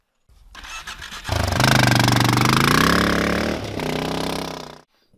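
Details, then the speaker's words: Honda XR650L after standing 2–3 weeks: the starter cranks the single at a steady, pulsing rhythm for several seconds, but the engine never catches, a cranking no-start caused by a no-spark condition. "is your bike cranking but it won't start stick around to see how i fixed my honda xr650l with a cranking no start condition"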